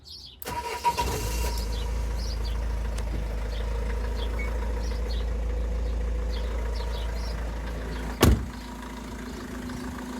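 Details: Renault Trafic work van, nearly 240,000 miles, after replacing a faulty alternator that caused a whirring bearing noise: short crank, then steady even low idle with no whirring; repair fixed it.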